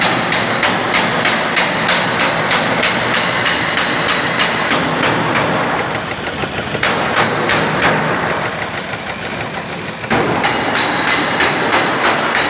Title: engine misfire spark plug